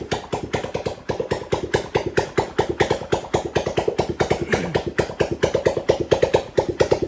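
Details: Homemade petrol off-road buggy, kick-started with no fuel overflow: single-cylinder engine idles with sharp, slightly uneven pops about two per second, running on its own and still wanting a little tuning.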